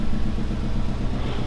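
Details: Rebuilt Series Grey Subaru STI turbo flat-four, first cold start after rebuild: deep, even burble with a steady pulse and no knocks or ticks; quiet, normal healthy idle.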